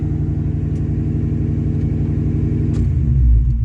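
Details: Mustang at idle after a new TPS, IACV and MAF were fitted, and after a new O2 sensor replaced a severed one: steady pulsing drone that holds above normal idle and won't settle after a brief throttle; idle sits too high.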